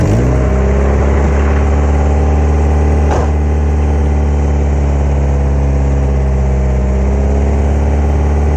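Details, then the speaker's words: Honda Integra, engine started cold after sitting a couple of hours: loud, deep idle with a raspy puffing exhaust leak at the header-to-exhaust joint, which blows leaves from under the car. The leak followed scraping over something in a steep parking lot. "all right so that's definitely where it's at [Music] all right so that's definitely where the leak's at it's moving the leaves out from under it"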